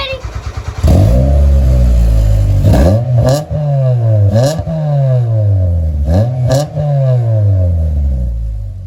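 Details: 1993 Mitsubishi Lancer MR MIVEC, first start in over 15 years, run off a van's battery because it has none. Crisp, even revs climbing and dropping cleanly with a steady idle between blips and no knocks or rattles: healthy engine.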